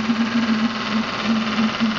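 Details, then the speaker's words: Graupner 5000 small steam engine driving a pond water pump, first run: steady light buzzing hum near 200 Hz with soft even pulse and steam hiss; runs smoothly. "but there's this little grer engine going beautifully"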